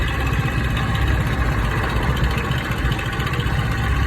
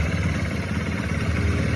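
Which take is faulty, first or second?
first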